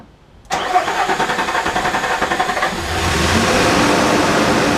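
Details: 2005-2011 Nissan Frontier/Pathfinder engine just installed, first fire-up: catches quickly, then an even, steady idle with no miss, knock or shake; healthy start and idle.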